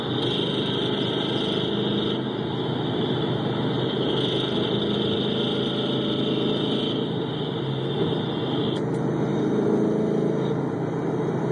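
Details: 2011 Mustang GT 5.0 at idle, recorded through amplified microphones on each engine bank, with a persistent internal knock. The owner's own car knocks the same way when cold and he suspects piston slap; unconfirmed.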